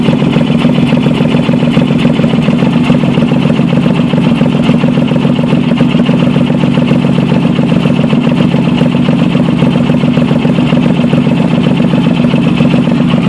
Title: VP Exhaust leak